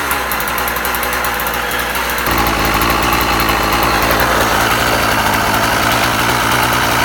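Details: Husqvarna 36 chainsaw after impulse-hole repair, warming up outdoors: even steady two-stroke idle, then picks up cleanly to a higher smooth rev with no stumbling; running healthy, restarts first pull.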